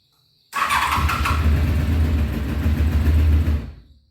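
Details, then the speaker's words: 1993 Honda VFR750F, sat over a year, cool engine, before carb cleaning: catches, runs rough and uneven about three seconds on full choke, dies with throttle; gummed carburettors, runs only on full choke. "that's full choke tried a little throttle didn't like that huh"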